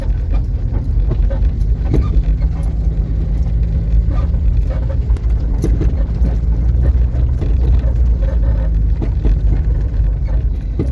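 Irregular dull knocks over steady road rumble as the car drives, from a loose, worn shock absorber mount bolt.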